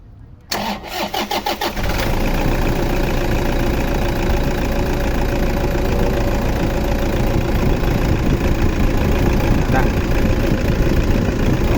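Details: Toyota D4D diesel, after replacing the faulty timing belt adjuster that caused knocking, cranks, catches quickly and settles into a steady, even idle with no knocking.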